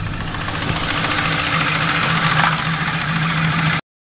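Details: Ford Crown Victoria V8 at idle after installing new heads, cams and all-new timing parts: a light, uneven tapping about three or four times a second over the low engine hum, a new knock or tick.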